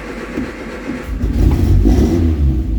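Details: Triumph Spitfire 1500 first run after refitting the carbs and the welded, reinstalled exhaust and intake manifold: uneven low rumble rising as the throttle is blipped, revving freely without knocks or rattles; running normally, though a coolant leak was then found.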